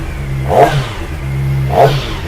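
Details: SRK450RR right after its first service (oil change, about 2.7 litres, new filter): two quick throttle blips climbing and dropping cleanly, no knock or rattle between; owner calls it smooth; normal revving.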